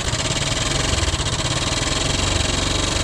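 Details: Motorcycle at idle with a loud, busy metallic rattle pulsing over the engine beat. It appeared riding downhill and grew louder; the belt side was checked and found fine, exhaust all stock. Source unconfirmed.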